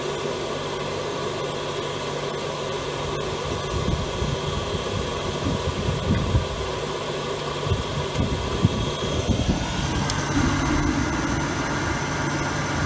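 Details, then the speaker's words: Grant 50/90 oil boiler started after fitting a new 0.60 60° jet: the fan roar settles in with a clean, even flame rush and no pulsing or rumble, the pump already drawing oil and heat blowing out; normal burner operation. "So, I can hear the fan going. The pump has pulled something up into there already."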